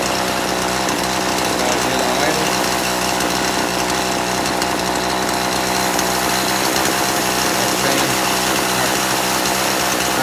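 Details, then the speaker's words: Poulan Pro chainsaw, carburetor deliberately detuned, low-speed screw at 1.5 turns out: stumbles and flattens instead of picking up cleanly when throttled; low end too lean, needs turning out richer. "okay I'm going to have to go out just a little further on my low end this chainsaw guys has always been his way the low end has always wanted to be richer"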